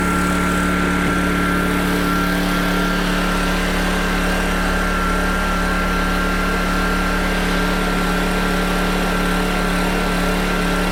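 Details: PowerTrain 900 W generator after new fuel lines and carb work, carrying an electrical load thought to be about 400–500 W; engine note drops when loaded, steady low drone with even firing holding speed; checking near 60 Hz: normal running under load.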